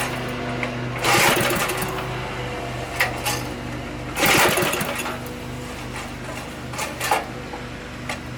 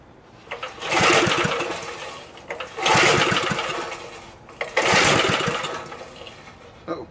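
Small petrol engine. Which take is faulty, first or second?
second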